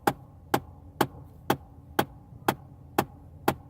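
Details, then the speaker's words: Air conditioning just switched off: sharp even knocks about twice a second continue over a quiet background before stopping; cause unknown. "as you can see it will not see but it's still doing that but yeah alright guys let's just keep it going until that just knocks off"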